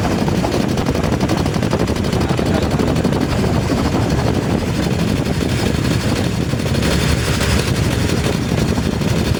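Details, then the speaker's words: 2019 Nissan Terra diesel, automatic, revved up to 4,000 rpm, rough uneven chugging with irregular low thumps and shaking door, running with power but misfiring; faulty injectors number one and four, water found in fuel. "Ayan nanginginig pati yung pintuan sup palyado siya pero ngayon may power"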